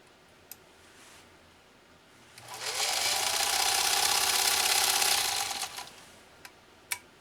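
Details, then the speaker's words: Restored Singer 66-16 sewing machine with rebuilt motor that barely turned before: motor winds up to a steady, even hum with fast regular stitch beat, then winds down cleanly; sews smoothly. "this thing just this machine just sews like a dream now just so is like a dream and that motor has been rebirthed and is very very happy"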